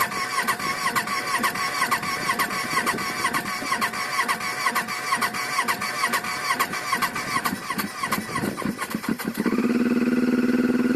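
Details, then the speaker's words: 2007 Yamaha Phazer snowmobile, sat two weeks at -5 °C, new premium gas, new spark plugs, good battery: long uneven cranking churn about nine seconds before catching to steady idle; cause unknown; hard starting, long cranking. "always starts, but it just takes a long time."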